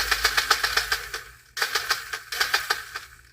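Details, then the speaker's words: Power Wheels gear motor bench-tested on a power supply with a burnt-plastic smell. Sharp popping clicks about four per second as it spins up and again on restart. The motor is suspected at first, then blamed on a broken plastic gear tooth. "it's got a bad motor this should not be popping like that yeah that should not be popping like that I don't think it's the motor I think it's the plastic"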